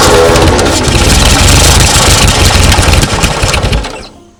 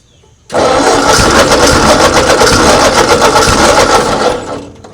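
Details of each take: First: 1939 Ford tractor sat in field 20+ years, hand-choked: uneven chuffing bursts catch briefly, then die away to quiet; hard start. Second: 1939 Ford tractor left in a field 20+ years, hand-choked at low throttle; catches and fires in quick fairly even beats, about four a second, running only briefly before fading out; normal running at low throttle.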